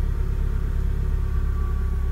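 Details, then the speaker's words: Renault Duster that previously only clicked and would not start: after bolts were tightened and the battery terminal reconnected, it idles with a steady, even low rumble, no misses or knocks, and shows no errors. Normal idle. "заработало ошибок никаких нет 2 воды можно выключать"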